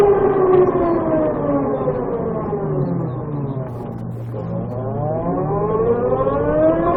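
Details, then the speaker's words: VX1 motorcycle transmission chirp, warmed up, at lower speed under load: a shrill, tonal whine rising and falling with speed; owner says it is worst under load at low speed, louder once the transmission is warm, starting around 30 mph. "This is when it's usually worst, at lower speeds under load. If I could climb a hill, that would help, but there isn't a hill around."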